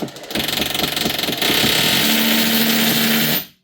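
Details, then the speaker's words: Hammer drill after being opened and regreased to cure weak low-speed hammering: clear rapid blows at low speed, then fast even buzzing at full speed; normal hammer action restored. "Can we test now? [snorts] There we go. You can hear it hitting at low speed"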